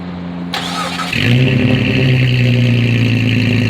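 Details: Project car after exhaust repair: tailpipe hanger bent and braced so it no longer rattles off the leaf springs, V-band clamps added, clogged cat gutted. Brief crank, catches within a second, smooth steady idle with no rattle; normal startup and idle.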